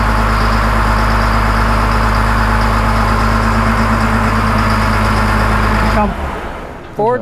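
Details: 2000 Cat 563D ex-USMC vibratory roller, 25 original hours, after fuel filter change during full service: steady, even idle with constant low drone for six seconds, then clean shutdown; healthy.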